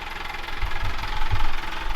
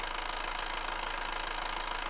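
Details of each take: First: Amel Santorin sailboat diesel: on engaging the clutch at low idle a hard knock comes from the engine and it starts hopping, heard as heavy irregular thumps as it rocks; a little throttle makes it disappear. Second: Amel Santorin sailboat diesel started cold after the engine mount repair and only a brief fuel bleed: a short change, then an even, steady clatter; the engine is running normally.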